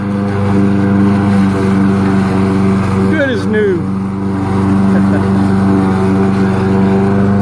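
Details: Troy-Bilt lawnmower, about 11 years old with a fiberglass deck repair, uses a little oil: steady, even drone at constant speed with a clean tone, no misses, scraping or vibration. Normal running.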